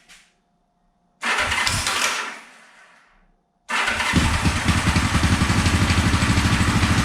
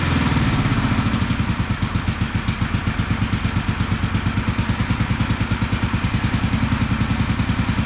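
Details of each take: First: 1974 Honda CB450 twin, restored then sat for years, first start on remote fuel with timing light attached: catches, runs with uneven beat and irregular pops through the carbs; ignition timing about 20 degrees off, later reset. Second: 1974 Honda CB450 twin, after the ignition timing was corrected and the timing cover refitted, keeps a steady, even beat with no misses or knocks and is running nicely on both cylinders; slight smoke from the left cylinder.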